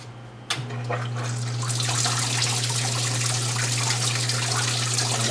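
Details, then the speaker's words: Port-A-Cool Cyclone 2200 evaporative swamp cooler after replacing broken submersible pump, filled with water; steady low pump hum under even continuous splashing as water falls through the pads; running normally. "all right there it is I filled it up with water the pump is there under that bracket connected to that hose"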